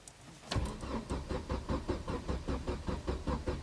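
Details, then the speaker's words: Car with recurring fault where the fuel pump intermittently fails to pump: brief catch, then uneven chuffing crank at about two and a half beats a second that never settles; won't keep running, fuel pump suspected. "бензонасос не качає чому не зрозуміло раптом Опа і все поїхали і все ще раз"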